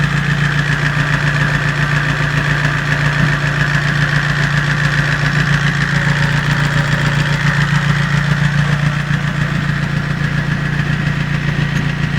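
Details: 5A engine at steady idle with light quick ticking about three and a half per second: valve tapping.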